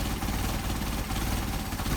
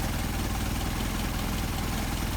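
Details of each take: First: Engine with Solex 44PHH carburetors, idling about 450 rpm, idle mixture screw turned in to an extreme during adjustment on the first carburetor. RPM drops and the idle turns lumpy and stumbling. Rough idle from an over-lean idle mixture. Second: Engine with Solex 44PHH carburetors, idle screw set back to the midpoint for best, highest idle after adjustment. Steady, even low idle with a regular firing beat and no stumble or hunting. Smooth idle.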